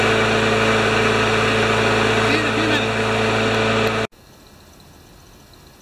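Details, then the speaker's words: Craftsman mower after tune-up with sharpened blade, clean spark plug and checked good gas, run briefly to warm the oil before an oil change: even, steady single-cylinder buzz with no misses or knocks, then clean shutdown; normal running. "the gas is good i checked the quality of the gas it's perfect and i'll just start it up and let it run for a bit"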